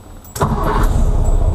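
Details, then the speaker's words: 1964 VW Beetle with new electronic-ignition distributor, started after the brake shoe job: short crank, catches right away, settles into a steady, even low idle. Clean, healthy start. "fires right up love the electronic ignitions on these things just makes life so much simpler"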